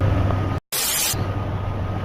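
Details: 1997 Jeep Grand Cherokee after new serpentine belt and idler: even low idle with a short hiss burst but no squeal or chirp; the belt drive runs quiet and healthy.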